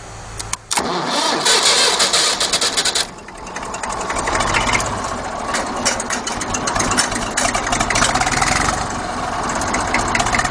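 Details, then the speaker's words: Circa 1950–51 Fordson Dexta three-cylinder diesel tractor, cold start, started by bridging the starter switch by hand: cranks briefly, fires and settles into a slow, rough-edged clatter around 400 rpm that evens out as it warms; normal cold start. "I know everybody uh likes the cold starts and this one they don't like the cold too much, but it'll start up cold."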